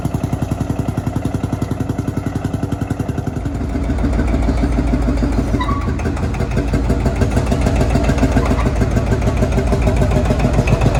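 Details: Field Marshall Series 3A single-cylinder diesel, first start after rebore and oversize piston fitted (a ring had snapped, likely from bore pitting); slow steady thump about 210 per minute firming as it picks up, runs evenly, better than before.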